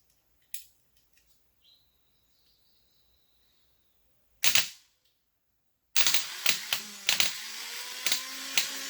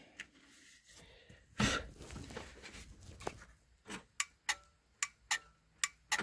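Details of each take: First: 2005 Kawasaki Mule 3010, old starter removed and bench-tested on the starter cable (12.24 V): a few sharp snaps as the leads touch, then a steady electric whir. The starter spins freely and works. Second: Kawasaki Mule 3010 no-start, with a new starter already fitted: the starter relay clicks two to three times a second but the engine never cranks, so the relay is not the fault.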